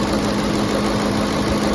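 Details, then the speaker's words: 2010 Ford F-150 SuperCrew 5.4L Triton 3-valve V8 after replacing VCT solenoids, settled down to idle after a high-RPM start: steady even low rumble, smooth, no misses, vibrations or leaks, only normal ticking; normal healthy idle. "Smooth. No vibrations. What do you guys think? Sounds good? Healthy engine?"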